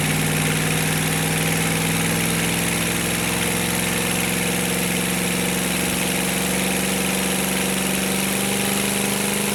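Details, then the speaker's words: Navistar/GEP 6.5 diesel with Stanadyne DB2831-4911 pump and new injectors, run on a stand, warming from about 124°F toward 180°F with good oil pressure; steady even diesel idle, smooth low drone, no misses or knocking; normal idle. "And you guys can see that the oil pressure is good on this thing. I'll leave the camera there for a couple of minutes and let it idle just so you can see that."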